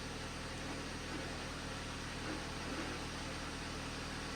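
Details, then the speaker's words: 2011 Jeep Patriot, T355 five-speed manual, idling with the clutch out and revved: a rough, gravelly grinding rattle comes and goes and vanishes with the clutch pedal down; owner suspects input and countershaft bearings, unconfirmed. "so that's what I'm after that's what I'm hearing it just almost sounds like something's broken in there I'm really hoping it's these bearings"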